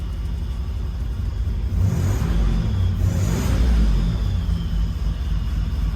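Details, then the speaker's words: Buick Grand National turbo V6 after Turbo Tweak injector/chip kit and 1987 ECM swap; IAC and TPS readjusted; deep, steady rumble, even beat, no misses; holds smooth idle without throttle, check engine light on. "I had to adjust the IAC and the TPS one more time but she runs and drives smooth nice stream of exhaust coming out"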